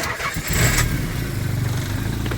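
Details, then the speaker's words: Semi-cold start test, succeeding on the fourth try: the starter grinds through several uneven cranking bursts before the engine catches and settles into a rough idle; intermittent hard start, cause unknown. "Fourth try is a charm."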